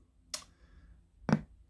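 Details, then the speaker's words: DAB radio/Bluetooth speaker that stopped working: two sharp ticks about a second apart over near silence as the switch-mode power supply pulses on and off; the failed startup capacitor was the cause, and replacing it fixed it. "so i think it might be a bad capacitor on the power supply but we'll see if we can fix it"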